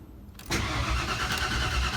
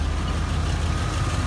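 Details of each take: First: 1992 Ford F150 after installing a new Spectra fuel pump: even, rhythmic cranking for over three seconds with no firing or pickup; engine turns over but won't start, fuel rail not getting fuel; owner hopes the tank was just low on gas. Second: 1992 Ford F150 after installing a new Spectra fuel pump, running for the first time in a while: steady low rumble at an even idle with no misses, knocks or ticks; engine idles normally.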